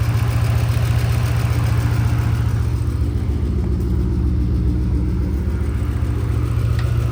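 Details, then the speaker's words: 2005 Mustang 3-valve engine at idle; even sharp tick over a low rumble, heard more toward the rear and under the car, with vibration felt at a coil pack; exhaust checked with no leak; owner suspects a spark plug backing out, or the roller followers and lifters. "One of my friends told me online that it could be the spark plugs backing out, because that's what happened to him. I do feel a bit of a vibration in that spark plug, or in that coil pack."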